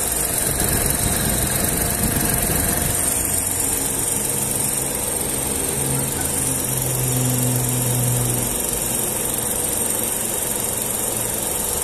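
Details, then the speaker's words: VW up! TSI warm idle after a brief throttle blip; PWM radiator fan module raises fan speed like a ceiling-fan regulator; steady idle with even rush of fan air; normal idle with radiator fan on high, checked and not a problem. "Aumentou a carga tipo ventilador de teto lá que você regula aumenta e diminui sabe o módulo que faz na verdade agora tá ventando agora dá para perceber o barulho da ventilação ligada agora"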